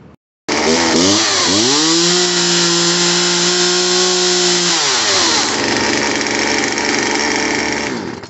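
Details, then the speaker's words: Poulan Wild Thing 2375 LE chainsaw after new carburetor, fuel lines and primer bulb, refuelled: crisp start, clean rev-up, steady high rev without surging or bogging; healthy running. "now i got a little more gas in her she's running perfect"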